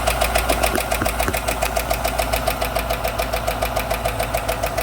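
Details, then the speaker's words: 2016 or 2017 Chevy Silverado 1500 4x4, 5.3 V8, idling after repair of a bent pushrod and broken lifter: crisp, even tick about 3.5 per second over a smooth idle; another bent pushrod on the other side suspected, misfire now gone. "It's interesting, it's still got a tick in it. I wonder if it's got another bent push rod on this side."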